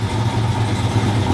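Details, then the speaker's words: Truck V8 at first start-up after a misfire caused by a bad injector was fixed. No check engine light, oil pressure good, gauges working. Deep, steady burble at idle with no stumble or skip. Healthy, smooth idle. "all my gauges work like i said that sounds pretty badass"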